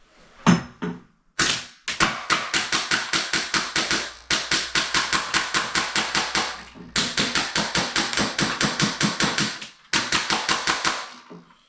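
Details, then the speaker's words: Custom airsoft build with Polarstar F2 and Gorilla MFCU, delay lowered to 12, fires crisp, evenly spaced full-auto strings at about six shots a second with no misfires. "That's shooting pretty good."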